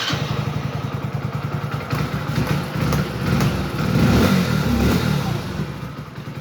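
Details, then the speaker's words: Hero HF Deluxe BS6 single-cylinder after full engine rebuild with bearings replaced for a 1st/2nd gear noise. It starts, settles to a steady idle with a brief blip, and is put in first gear with no rattle or knock. Normal start and idle. "देख सकते हो bike start हो चुकी है तो मैं डाल देता हूं इसका फर्स्ट गियर तो देख लिया आपने कोई भी आवाज नहीं है बिल्कुल ही एकदम जो इंजन है वो एकदम स्मूथ"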